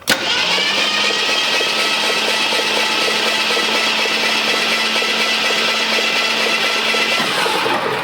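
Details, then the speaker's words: 1966 Ford Mustang project, first start attempt, jumped at the solenoid, compression unknown: starter spins engine steadily and evenly for about seven seconds with constant whir, no binding or clunks; normal free cranking. "Let's turn it over again. It sounds good. Sounds good."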